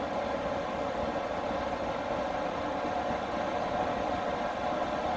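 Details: Newly installed diesel air heater in a skoolie bus, after startup: a steady, even whooshing roar with a constant fan hum and no ticking or surging, blowing lots of heat. Normal operation at full fan.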